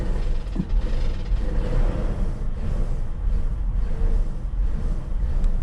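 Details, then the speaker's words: Pre-OBD2 (OBD1) Infiniti with owner-replaced gaskets, started on a new battery and revved by hand; rough, surging uneven rumble instead of steady idle, attributed to a vacuum leak later found with a homemade smoke machine. "I have some adapters. I may slap one on there, but again, I know it's a vacuum leak."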